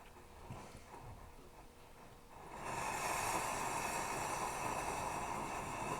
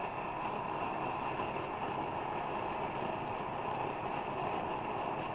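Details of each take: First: Plumber's pot (smelting stove) burner during preheat of the generator. A soft hiss swells into a ragged, sputtering roar as it flames on raw fuel, not vapor, because the generator is not yet hot enough to vaporize. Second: Plumber's pot smelting stove after preheating the generator: even, steady rushing roar with no sputter; transition from raw fuel to vapor burning, still heating hotter.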